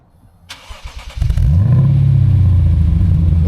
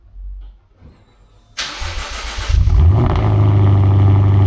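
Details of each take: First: Lexus RC F V8 with new valved axle-back exhaust, started with exhaust valves closed on temporary wiring: brief starter whir, then deep steady muffled rumble; clean healthy cold start. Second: Lexus RC F V8 on cold start: cranks and barks, then a deep steady idle with a faint metallic rattle; owner suspects a crooked flange where the RR Racing mid pipe meets the axle-back.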